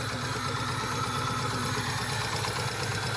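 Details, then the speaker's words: Engine that has no power stumbles constantly at idle with quick, uneven dips instead of a steady rhythm; persistent misfire at idle, with a knocking noise the owners suspect is a lifter rather than rod knock. "Son of a bitch! That thing's still misfiring. For sure."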